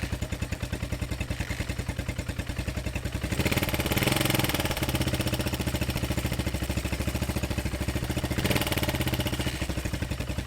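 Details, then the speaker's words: Honda XR single that threw its timing chain and bent valves, first run in years: rapid light ticking about three and a half per second over a lumpy idle and brief revs; a problem in the head, cause unconfirmed. "Sounds like there's something going on in the head."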